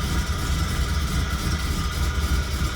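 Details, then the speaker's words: 1996 Chevrolet Camaro RS after replacing the PCV valve, which had been causing rough idle especially on startup: a smooth, even low rumble with no stumble or misfire, holding just above 1,000 rpm; a healthy petrol idle. "Okay, so I switched the PCV valve out with the new one. We're gonna see what my idle's like. I've been having some rough idles here lately with this car, especially on startup. So we're gonna see exactly what it sounds like. Maybe it fixed. Oh my gosh, it sounds so much better."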